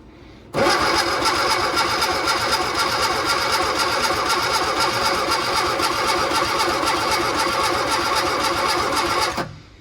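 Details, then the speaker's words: Austin-Healey Barn Sprite No. 6 first start attempt, carburetor float bowls fed fuel directly, coil powered, chokes held up; the starter spins in an even rapid chug for about nine seconds but never catches. Fuel and spark are present; low compression is suspected. "it's always hard to get these started for the first time i'm over on this side now i'm going to try to hold the chokes up while i crank it this time"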